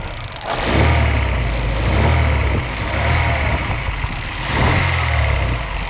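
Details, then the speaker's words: Daewoo Lanos engine knock, owner says it has knocked about two months, worse under load and when hot, less when cold: dull, low knocking under the engine note as it revs and settles; mechanic suspects crankshaft bearings knocking. "мое предположение что это постукивает коленвал"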